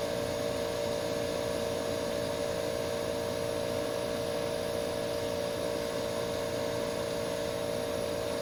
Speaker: Listen to that AE on a quiet night. That sounds beautiful. I could listen to this all night.